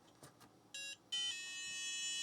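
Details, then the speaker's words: Book8088 laptop, squeezing the chip into its socket: short beep then longer steady tone as it boots; confirms either the chip or its socket is bad. "oh and look at that I mean think that pretty much confirms it's either the chip that's bad or it's the socket that's bad"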